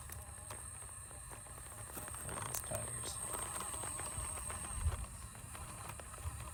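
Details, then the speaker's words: SCX24 Basecamp RC crawler build first test on stair-stepper obstacle: quiet motor whir with sharp, fairly regular clicks as it crawls, something catching in the drivetrain, cause unclear; still too loud. "I mean, so far, yes, it is better, but how loud it is, I gotta fix that. Take it back up here. I don't know if you can hear that clicking."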